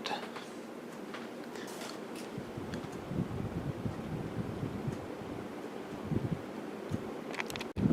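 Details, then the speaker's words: 1995 NuTone Decorator ceiling fan on high, slight bearing noise after install has since gone away with use: soft even whoosh, faint low hum, no rubbing or ticking, very quiet. Normal running. "this thing runs great and I'll demonstrate that just a second I gotta turn that one off so we can hear it I'm gonna go up to high thank you it is very quiet"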